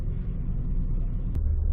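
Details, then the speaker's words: 2006 Grand Prix at about 173,000 miles, with check engine and airbag lights on, just after first start: deep, lumpy idle with uneven low thumps and a weird noise that later stopped; rough idle that smooths out on throttle. "Well, she fired right up. She's a little rough idling though. Oh yeah, she's making a weird noise."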